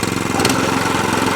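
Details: Qualcast 14SK Suffolk Punch cylinder mower, whose roller and blade were not driving, started on the bench with a bit of choke: its small single-cylinder engine pops along at a steady, even beat with no rattles or grinding.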